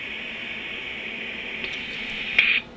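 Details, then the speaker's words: Rohde & Schwarz EK070 shortwave receiver during self-test in SSB upper sideband mode: steady high speaker hiss lasting about a second, then a brief tone; normal self-test noise. "a noise signal is generated which can be heard in the speaker for a second"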